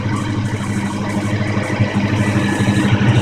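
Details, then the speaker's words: 1992 Fox Body Mustang idling just after an oil and pre-filled filter change, run so the new oil flows through: steady, even low burble with no ticking or knocking; sounds healthy. "I just want to let it run for a little bit. Let the oil flow through everything, all the little nooks and crannies."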